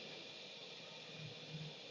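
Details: LPG gas-heated clothes press (iron), burner just lit and flame turned up (settings go to six; louder when raised, quieter when lowered): soft steady gas hiss with no sputter or pops. Normal burner hiss.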